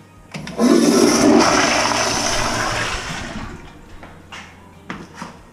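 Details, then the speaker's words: Movie theater toilet flushed after the sewer line was cleared with an electric snake: sudden strong flush rushes about two seconds, then drains steadily without gurgling or backing up; line flowing freely. "I'll go flush some more toilets she run pretty good yeah all right cool"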